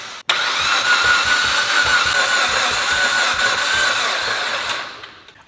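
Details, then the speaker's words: Mitsubishi Evolution that won't start: steady but lopsided cranking with some strokes spinning free, sounding down a cylinder or two on compression. A broken piston and rod are found. "Based off of just cranking it, it sounds like it's down a cylinder or two, meaning a cylinder or two has no compression."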